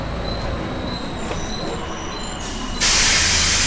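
Thin, steady high-pitched squeal tones ride over the bus running noise, then a loud hiss cuts in; source of squeal undetermined.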